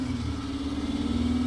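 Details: 2003 Kia Sorento that had sat for a couple of years, possibly with bad gas, running after its crank/no-start was fixed by resetting the inertia switch: a short stretch of smooth, even running with a steady low hum and no knocks or misses.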